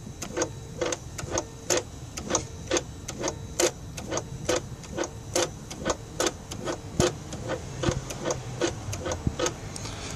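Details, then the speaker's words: Mercedes S500 electronic throttle (E-gas) module test, engine off with ignition on, actuator activated: the throttle motor hums lightly with sharp, unevenly spaced ticks about once a second; normal operation, no dash lights, control module fine. "So it does seem to work fine. And I don't see a problem here with this control module. So as you can hear it, it works."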